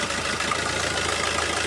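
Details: Diesel car with all injectors enabled during an OBD2 scanner injector cut-out test. It has a steady, even idle with a smooth low rumble and no stumble or shake, so all cylinders are firing cleanly.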